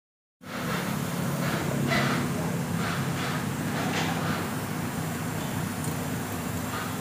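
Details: Yamaha Mio M3 / Mio 125 scooter idling with a rough, churning drone and uneven rattly bursts; noisy engine complaint traced to the final drive, with worn reduction gear bearings.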